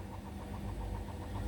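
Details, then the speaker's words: Indesit washing machine with towels on Daily Quick 60, 1000 rpm final spin: fast, regular thumping and low rumble as the drum spins extremely unbalanced, machine and floor shaking. "oh no the whole floor's shaking as well as the whole uh washing machine shaking as well that's getting very unbalanced now"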